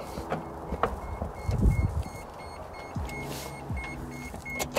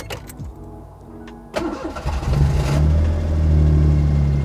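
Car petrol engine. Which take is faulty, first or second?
first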